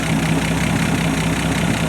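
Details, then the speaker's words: Six-cylinder engine previously freed from seizure with diesel fuel, now with a rebuilt cooling system (new water pump and thermostat) and a fresh tune-up: even, steady low idle with a regular firing pulse and no misses or knocks. "with the new cooling system basically redone and the engine with the fresh tuneup you can hear how smooth the engine"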